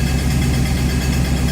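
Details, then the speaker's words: 1969 Plymouth 318 V8 at its first start after an engine teardown to replace the rear main seals, idling with a rough rumble and an odd extra noise layered over it; unidentified noise at idle, source unknown. "I think I found the single worst sound you would ever want to hear after starting it back out I need some help what is this sound please if you know let me know"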